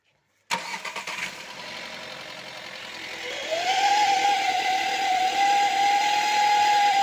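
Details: 1.4 TSI engine cranks and catches, then a steady high whistle rises and holds over idle and under revving; turbocharger whistle bad enough that the car can no longer be driven, cause not yet found.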